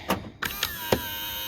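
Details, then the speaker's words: Skoda Octavia Mk3.5 power-folding wing mirror after lubricating the sprung part (not the gears): short motor whirr broken by a few sharp clicks and one jolt as it folds; clicking persists, PTFE spray possibly to be tried next. "Okay, so it's still kind of doing that one jolt. Right, I'm gonna try something else, maybe a bit of PTFE spray or something on there, see if I can get it a bit better."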